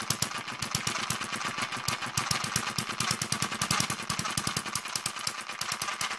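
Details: David Kerzel hit-and-miss model engine, newly finished and still running in (water-cooled, spark ignition, inlet/exhaust valves): fast, sharp clattering ticks at a steady rate; gears still tight and noisy, governor and exhaust mechanism stiff, expected to loosen once run in.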